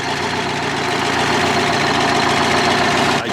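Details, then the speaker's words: 1974 Kenworth prime mover with a Detroit 8V71 two-stroke diesel, 15-speed overdrive, N65 injectors: busy even idle with a quick steady beat near four per second, no knock or misfire; normal idle. "871 Detro G General Motors diesel you want to say it uh 15-speed Overdrive n65 injectors goes pretty good"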